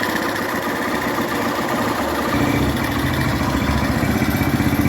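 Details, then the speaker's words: 2011 Honda Fan 125 motorcycle after repair of a worn cylinder and piston caused by running low on oil. The rebuilt engine idles with a steady, even putter and no knocking; the earlier noise is gone. "Mas ó que o motor silencioso eu vou tampar o escapamento o motor silencioso motinha montada galera"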